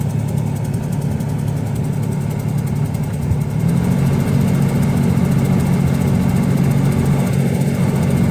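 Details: 2000 Ford Ranger XLT 3.0 V6 flex-fuel automatic, 102,294 miles, at idle after a restart: noise behind the glove box/passenger footwell, speeding up and slowing with AC blower speed; AC still cools fine; cause unknown.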